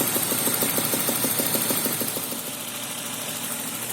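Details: BMW M52 2.0 petrol engine idling with a sharp regular knock, about three a second, caused by worn spark plugs; the knock disappeared after the plugs were replaced.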